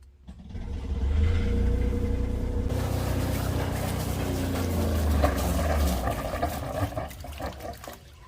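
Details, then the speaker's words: Generator on a new Tiara 34 boat that runs then shuts off, possibly fuel system or stator: catches with a deep, even drone, water splash and heavy smoke, then slows and dies after a few seconds. "so last time i was here this generator would just run and shut off sometimes it's fuel system it could be the stator it could be a bunch of different things"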